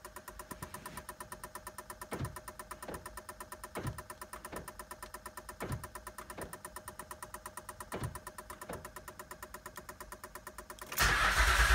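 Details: 2007 Acura MDX after 100K-mile maintenance: steady starter whirr with even compression pulses under it for ten seconds; the engine cranks freely but never catches. Cranks but won't start.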